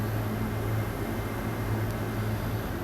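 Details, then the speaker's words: Three-phase AC induction motor fan on a VFD from single-phase power, ramping up, drawing about 3.1 A: steady low hum under thin constant high whine, no knocks or rubbing; normal VFD motor whine. "you hear the whining noise that's coming from that motor that is a very normal sound that comes from any motor controlled by a variable frequency drive"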